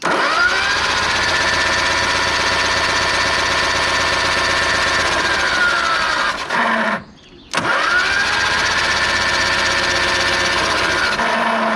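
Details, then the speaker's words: 1970 Ford Escort MK1, engine pumping oil: two long cranking bursts, steady starter whine, even compression beats about four a second, never catches; no ignition spark because no points are fitted. "hey we need we need some points i mean to get a spark"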